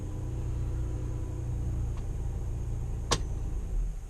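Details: 2013 Chrysler 200 with sporadic no-start/no-crank, after adding an extra 4-gauge ground wire and reconnecting the battery: low, even, smooth idle rumble with no misses or knocks; normal idle, fix still unconfirmed.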